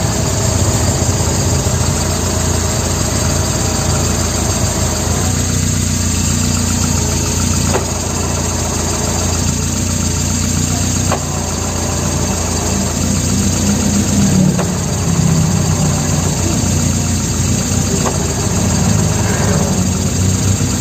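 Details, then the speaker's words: Idling manual-transmission car with a rough, rattly whir from the gearbox or clutch when the clutch pedal is released; the noise disappears when the pedal is pressed. "Oke jadi kali ini yang terjadi adalah ketika diinjak suara berisiknya hilang dan ketika dilepas ada suara berisik dari transmisi atau bunyi dari kopling"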